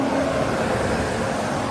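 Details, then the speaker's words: 2005 Nissan Frontier, new fan clutch replacing one that stopped spinning when warm; thermostat found not opening. Running engine: steady, even whoosh of the fan pulling air hard, faint low hum underneath. Engaged cooling fan, normal. "You can hear the fan clutch now."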